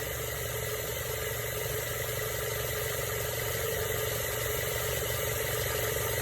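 Steady engine idle with a fairly even light clicking about three times a second riding on top, coming from the AC compressor.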